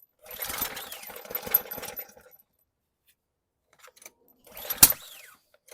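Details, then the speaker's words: 2020 Ryobi RY802900 pressure washer with Ducar engine, started on carb cleaner sprayed into the intake: a short spluttering burst of firing for about two seconds, then it quits, apparently starving for fuel; the owner suspects it needs a little back pressure. "Uh-oh. It kicked off. Need a little bit of back pressure, maybe."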